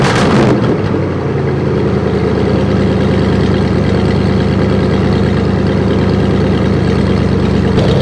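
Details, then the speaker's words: 1968 Buick LeSabre, all-Buick V8 power, after engine repair (previously no oil pressure, leaking head gaskets), warmed up around 190°; deep loud even burble at steady idle, no miss or tapping; owner says it sounds pretty damn good, healthy. "let me tell you it's sounded pretty damn good this is all Buick power I like it I like the way she sounds"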